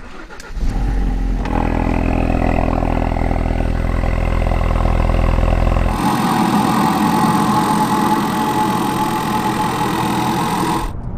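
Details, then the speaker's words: Ford Focus RS replacement engine with 400 miles, cold start, recorded under the bonnet: catches quickly and settles into a steady even idle with a fast light tick and no knock; possibly quieter than the failed engine, sounds normal. "But for reference, here's what an engine with just 400 miles on it sounds like when it's ticking over on a cold startup."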